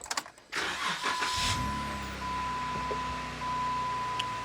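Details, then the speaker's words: Jeep Wrangler Rubicon after PSC hydro-assist steering install and bleeding, with some air possibly still in system, first start on its own weight: engine settles to even idle with faint steady whine, no groaning or gurgling; steering pump sounds healthy. "sounds good so far"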